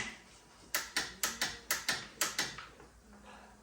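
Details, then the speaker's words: Polaris Ranger 500 midsize utility vehicle with a no-crank, no-start fault: dry clicks about twice a second from the starter solenoid with no cranking. The starter motor may be bad or the engine may be seized. "an audible click which is the start solid which either the starter is bad or the engine seized up"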